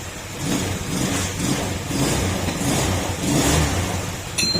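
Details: Honda Scoopy (old model, carb type) after crankshaft/connecting-rod assembly replacement, no break-in needed: revs up and settles in even pulses, no bottom-end knock or rattle; normal revving, healthy after overhaul.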